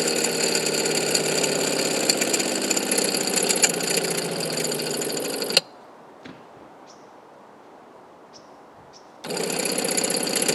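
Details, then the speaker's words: Water pump on a 1990 Fleetwood Bounder Class A motorhome: harsh buzzing chatter and clicking, gritty like a small grinder, stopping and restarting. It pumps less water than before and is nearing failure; it was replaced with a new pump. "so yeah that pump is making some weird clicking noises that it shouldn't be making sometimes it's pretty bad that wasn't too bad but sometimes it's it sounds like a little grinder"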